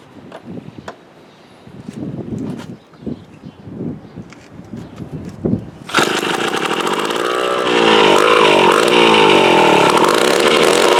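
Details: Mid-1950s Strunk Speed Demon chainsaw, bar and chain off, stored unrun since the early 70s, dirty tank: after a few weak pulls it catches and runs loud and buzzy, pitch wandering and surging; ignition good, carburetor needs rebuilding.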